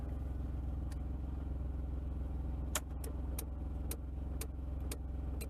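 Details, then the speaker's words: Mercedes 300E W124 after blade fuse replacement: sharp irregular relay-like clicks, about eight in six seconds, over a steady low engine hum, starting right at key-on and stopping when the heater is off; cause unknown. "okay it starts clicking right away when I turn it on so I think that's a different issue"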